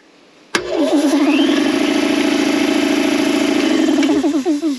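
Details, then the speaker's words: Air compressor that had only hummed, after a dirt dauber nest jamming the motor was cleared: starts cleanly and settles into a steady, even hum with a slight pulsing beat; running normally. "that is funny that is funny just dirt dauber nest all right we're gonna finish getting this cleaned out"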